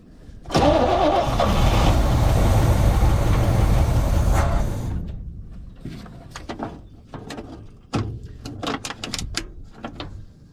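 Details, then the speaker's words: 1972 C20 pickup stored over 20 years, on starting fluid with old gas; catches and runs roughly about four seconds then dies into clanks; owner suspects the fuel pump is not yet delivering fuel, unconfirmed. "oh well i mean we will say it it can run we'll keep going here we'll see if we can't get it to idle"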